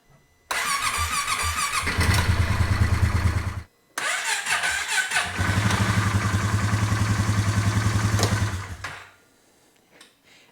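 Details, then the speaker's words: 2018 Polaris Sportsman ACE 570 single-cylinder after full top-end rebuild with new valves and valve stem seals: loud clank as it first fires at startup, then fast uneven beat; timing chain tensioner, chain also suspected, both to be replaced. "did make the noise if you heard the very end of that first start when it fired the first time Clank real real loud it's tensioner there's no question about it that's that's what's going on"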